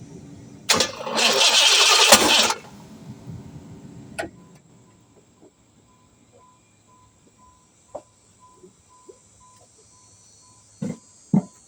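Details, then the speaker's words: Chevrolet Caprice with a suspected blown head gasket (radiator not holding coolant, sludge on dipstick), battery terminals checked good: harsh, hissy two-second crank that never catches, then faint clicks; abnormal cranking, cause unclear. "Definitely don't like the way that sounded. Terminals, everything good."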